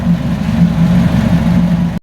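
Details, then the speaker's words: Fiat 500 engine first start after its first timing-belt replacement, cooling system still being bled toward temperature: quiet, even low idle with a smooth steady hum, no knocks or ticks; runs healthy, "really quiet." "But she's burning like a kitten. Gotta admit, that's really quiet. Well happy, well chuffed."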